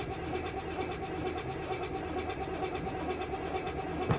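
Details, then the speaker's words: 1992 BMW 325ic at a Copart salvage auction, which fired right up last time: long, slow, uneven cranking with spitting from the exhaust, and the engine never catches. Flooding is suspected; not confirmed. "come on old girl well last time she just fired right up didn't she and this time she doesn't seem to uh be feeling as generous i wonder what's going on and with that i probably just flooded her"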